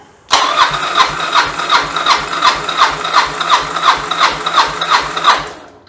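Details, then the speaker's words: Yamaha XV750 Virago bobber with single carb conversion, compression test on the second cylinder: even starter cranking at nearly three strong, matching pulses a second, no stumbles; about 152 PSI, healthy and balanced with the other side. "But you can see it's about 152 PSI. So yeah, there's the proof. So that's pretty good, I'm happy with that."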